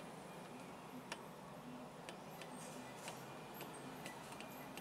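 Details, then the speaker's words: Chery QQ: quiet, uneven sharp clicks as the loose brake caliper is rocked, mimicking a suspension knock; the play comes from non-original pads lacking the metal shim between pad and caliper. "esse problema tá bem aqui ó um vizinho bem rápido para poder a entrar ó folga na pinça"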